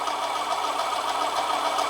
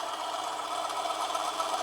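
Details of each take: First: Manson lathe turning brass test piece, heavier cut after light pass: harsh even cutting roar growing louder with steady chatter, motor pitch changed; motor labouring at excessive depth of cut. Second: Manson lathe turning a brass test piece: steady motor whir with cutting hiss, pitch easing down as a heavier cut loads the motor; still cutting well though struggling at that depth.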